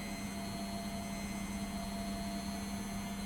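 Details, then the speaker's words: Beko WTG620M2W slimline washing machine (plug just fitted), empty drum drain-and-spin test: steady motor hum with constant tone, spin-up normal; slight rocking because machine sits on uneven floor. Pump-out and motor confirmed working; normal spin cycle. "if all those things are working we know the pump out's working we know the motor's working spinning up just fine"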